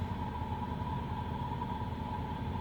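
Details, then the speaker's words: 1995 Oldsmobile Ninety Eight Regency Elite fired up after new key, new lock cylinder and VATS security bypass; smooth, even low rumble with faint steady tone, no misses or knocks; healthy idle. "okay we are all put back together let's let's see if it'll fire up for us turn signal [Music] and there we have it new key new lock cylinder bypass security system"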